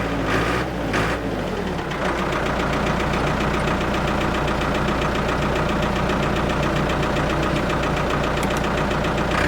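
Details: Abandoned Ford 655A backhoe diesel after revival, under hydraulic load with sticky controls: steady even clatter holding speed, no misses or knocks; engine sounds good, blow-by basically none, healthy.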